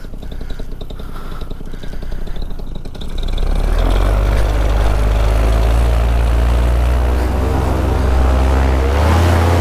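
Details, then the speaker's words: Vittorazi Moster 185 paramotor after adjusting the Walbro carburetor mixture, from a cold start: small two-stroke pops along at idle, then pulls cleanly to a strong, steady full-power drone without hesitation. Slightest belt squeak noted. "crank it easier now how's a cold start I think I may have the adjustment just about how I like it"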